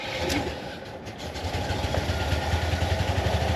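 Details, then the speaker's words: Jeep Wagoneer with snowplow, leaking hydraulic fluid: uneven chugging about four beats a second as engine struggles to catch; hard start; owner suspects starter, possibly bent flywheel, cause unconfirmed. "know, it kind of didn't want to start."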